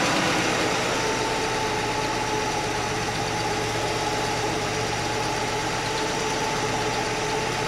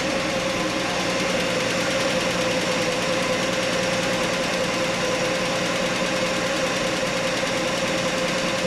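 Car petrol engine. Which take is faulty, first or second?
second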